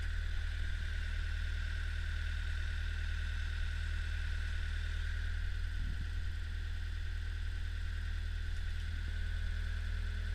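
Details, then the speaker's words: Old Hitachi UH043 excavator diesel, first start after being abandoned in woods for 16 years: steady, even low rumble settling into a smooth idle with no knocks or misses. Normal diesel idle. "Well, she's a runner. Um, most of the controls work."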